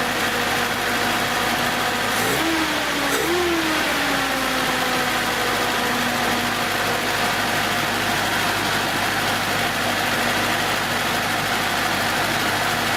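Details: 1970s Datsun after its 6.5-year-old 12 V battery, drained to about 2 V, was rejuvenated to 12.76 V: engine catches, quick rev rise, then settles into a steady even idle with no knocks or misses.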